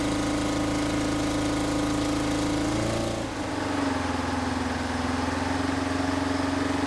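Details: 1970s Insley H800 excavator's Detroit two-stroke diesel, freed from seizure after 25+ years sitting, started without ether: strong, even buzzing drone holding steady after a brief dip. Normal running.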